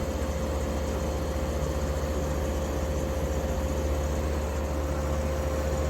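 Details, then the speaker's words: 1953 Fedders Weather Bureau window air conditioner with a Tecumseh S compressor, after service, drawing 6 amps and 488 watts. Constant low hum with a steady mid tone, no knocks. Evaporator is freezing cold and fully sweated, so still fully charged. Normal running. "So 488 watts right now it's using. That's it. That is nothing."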